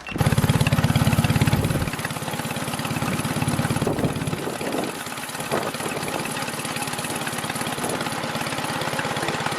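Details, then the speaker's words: Small chain-drive vehicle's first test drive after carburetors hooked up: engine revs hard briefly, then sags to a slow heavy thrum under load and never pulls through; final gearing too tall, geared for top speed; rear sprocket change considered. "But one thing we did learn, the gearing is too tall, and since it's geared for top speed, that does make sense."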